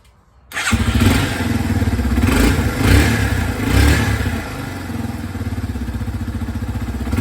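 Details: 2003 Yamaha TT-R 225 single-cylinder after no-spark repair: engine catches at once, revs up a few times, then settles into an even, steady thump, running properly.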